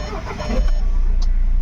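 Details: Audi Q3 diesel that cranked but wouldn't start (P3073, fuel pump fault), after repair: short crank, then the engine catches and builds to a steady, even run, firing cleanly; normal start.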